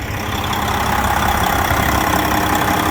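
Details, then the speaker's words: 2007 Freightliner Detroit Series 60 14L diesel, over a year after backyard rebuild, still with EGR; smooth steady low idle rumble, no knocks or misses, as fans are about to cycle: healthy idle, no water loss or knocking. "There's the fans about to start now. You can hear the engine now."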